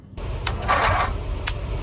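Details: Briggs & Stratton 670cc vertical-shaft engine on a go-kart frame, fuel line primed, starter shorted directly: low rough drone with clatter, cranks but never catches.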